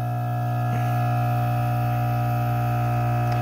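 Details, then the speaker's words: Pondmaster AP 20 pond air pump after one-side rebuild, cover and hoses on: steady low mains-pitched hum with a faint buzz, even throughout; quieter than before, running normally. "it's all fixed it's a lot more quieter with the hoses attached in and covered it"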